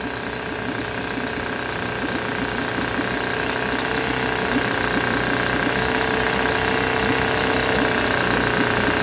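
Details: 1972 Johnson 6R-72D 6 hp two-stroke outboard, said to need an impeller, barely moving water, tried in gear: fast, slightly uneven buzz that hangs high and won't idle down; owner later suspects something needs cleaning, unconfirmed.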